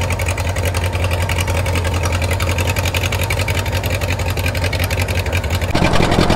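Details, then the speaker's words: 1934 Allis Chalmers Model M crawler, 300 cubic inch four-cylinder, 85 years old, long unused; loud open even thumping from bare exhaust at steady slow idle, no misses; runs pretty good without muffler, only the right track clutch seemingly not releasing. "that is crazy guys this machine this is 85 years old still runs still runs pretty good too"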